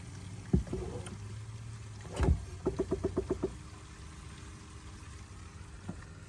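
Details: 2017 Chevy Bolt electric car, new on delivery and under warranty: a rapid burst of about seven sharp repetitive clicks from the brake booster after the brake pedal is pressed.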